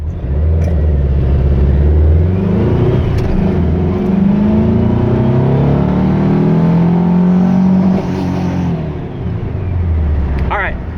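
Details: Vehicle with Pulse Jet Ignition spark plug adapters, timing set to 26 degrees at wide open throttle, about 115–116 hp: strong even full-throttle pull with pitch climbing smoothly, no misses or knocks; healthy.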